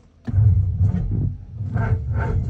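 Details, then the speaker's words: Engine cranked for the first time in 45 years: slow, even cranking thumps with good, steady compression pulses but no firing, because there is no fuel in the fuel supply. "all right so um the engine cranks over perfectly well yeah there's compression on it and there's a good compression so we just need to um put fuel into the fuel supp"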